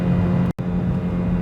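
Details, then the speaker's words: Old automatic car, run-down: steady, strained high-rev drone under way with no upshift; transmission stuck in second, can't even be forced into third manually. "i can't even force this thing to shift in the third manually"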